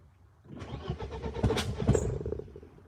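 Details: BMW E36 M42 on Microsquirt ECU, first start attempt after crank sensor wiring fix and added intake air temp sensor: cranking picks up into ragged firing pulses for about two seconds, then fades; catches briefly but won't keep running.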